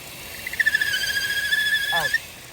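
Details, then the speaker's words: Vauxhall/Opel Insignia 1.6 SIDI A16XHT at idle: thin, high whistling squeal that stops when the dipstick is pulled; failed PCV valve leaking crankcase vacuum, fixed by replacing the rocker cover with integrated PCV valve. "so if you have this issue where you pull the dipstick out and the noise goes that means you have a party PCB button"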